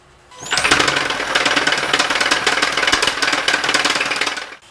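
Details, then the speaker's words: 2017 Hyundai Sonata Hybrid, 88,000 miles, first start after a timing chain job: harsh, fast metallic clatter that doesn't settle. The chain was very loose, the rattle persists, and misdiagnosis is suspected; tensioner or cam phasers are to be checked next. "that wasn't the noise I was going for a man did we misdiagnose it you saw when I pulled the valve cover off how loose that chain was super rattly chain"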